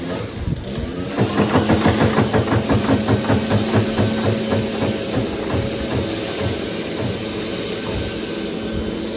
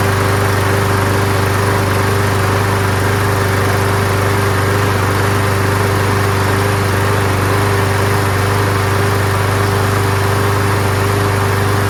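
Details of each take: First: Troy-Bilt Gardenway 47278 vac chipper with Briggs flathead horizontal engine: slow pull turns over very easily with even light clatter about three per second and no compression resistance, owner suspects engine blown; no compression when cranking. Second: Toro Super Recycler mower with Quantum single-cylinder engine and aluminum deck, started after priming: steady even drone with constant pitch and no misses or knocks; running normally.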